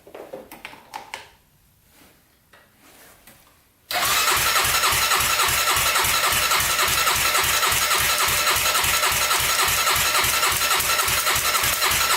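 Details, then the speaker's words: 1999 Honda 400EX carbureted quad during a turbo install, water line unhooked: steady fast starter cranking that never catches. It cranks but won't start; the owner suspects a weak battery or that fuel can't be pulled that far. "maybe a stronger battery here doesn't want to run i don't know if i can pull up that fuel that far"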